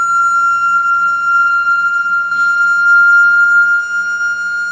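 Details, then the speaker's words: Toilet tank refilling after a flush gives a loud, steady, high-pitched whistle lasting about a minute. It stops when the fill valve is touched, so the owner suspects the fill valve, not confirmed. "Get really annoying. I think it lasts like a minute or something. So every time I flush, you make that noise, and then I touch this, it will just stop."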